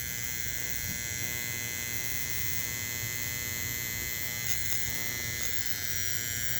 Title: Bench testing the Motor On Detector, Learning that a 457uF capacitor quiets down a rattling relay!!